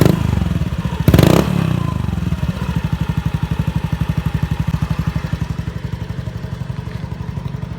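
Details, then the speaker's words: Honda Beat FI scooter before repair, with hesitation at low and high revs. A sudden throttle blip swells briefly, then falls flat back to a lumpy idle of about four pulses a second. Hesitation under acceleration. "Oke, motornya memang terasa ngempos di putaran bawah dan putaran atas."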